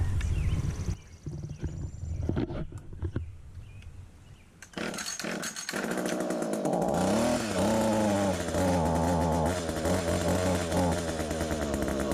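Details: Small two-stroke hedge trimmer after its nearly empty gearbox was repacked with grease to cure a metal-on-metal grinding noise. It fires up and revs up and down cleanly with no grinding. Normal running after repair.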